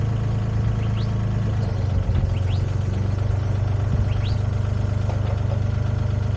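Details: Used Komatsu PC10-3 mini excavator, SN 6097, hood down, at low idle: steady low diesel thrum with an even beat near 160 a minute, no knocks or misses; healthy.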